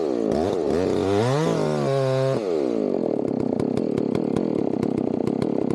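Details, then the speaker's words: Chainsaw fired up cold before felling a tree: the two-stroke catches fast, revs climb smoothly, then settle into a crisp, even buzz with no stumbling. Normal cold start and running, healthy saw. "So, we're going to fire this thing up cold."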